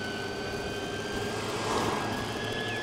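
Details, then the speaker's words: Vespa Elettrica electric scooter riding at low speed (about 22–33): thin, fairly loud screechy electric-motor whine over road rush, turning into a smoother, more pleasant singing tone at higher speed. "so 22 33 und man hört den Elektromotor doch ziemlich laut hier ob gerade so ein Kreischen wenn man jetzt ein bisschen schneller fährt dann wird es etwas besser dann geht es mehr in so ein seidiges ja singen über sage ich mal also ein angenehmeres Geräusch"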